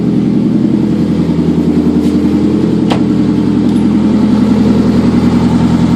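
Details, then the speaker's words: 2003 Toyota Camry first start after engine swap: idle with quick fairly even puffing tick about two or three times a second from an exhaust leak at the bad flex coupler; engine itself quiet, no valve noise or knock. "but the noise that you're hearing in the video is the leak at this at this blessed coupler right here this is all exhaust noise that motor is really really quiet there is no valve noise and there's no knock"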